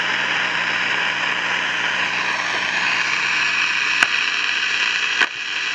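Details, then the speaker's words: 1953 Crosley AA5 AM tube radio, no antenna, tubes warming up: loud steady hissing roar with no station; owner rules out silver mica disease since pulling a part silences it, suspects the oscillator is running way off frequency. "and it's not silver mica disease because if I pull this out or this out it goes totally silent so it's like the oscillator is running way off frequency"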